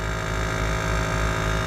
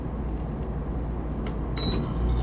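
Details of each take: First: PTAC through-wall air conditioner not cooling: loud strained compressor hum with no fan whoosh, compressor amps climbing to about 6 A because the outdoor condenser fan motor isn't running; overloaded compressor from failed condenser fan. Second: PTAC air conditioner after fitting a new capacitor to the outdoor condenser fan motor, amp meter on the fan wire: fan starts with a steady low whirring rumble, no rattle; temperatures dropping and compressor amps come way down; normal condenser fan operation.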